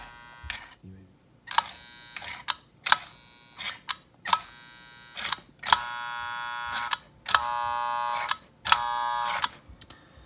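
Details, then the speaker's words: American Flyer 342 switcher locomotive reverse unit (in tender, previously sticking) after cleanup: crisp clicks each followed by a one-to-two-second buzzing motor burst, repeating cleanly; now cycling properly. "you can definitely hear it's cycling a lot better"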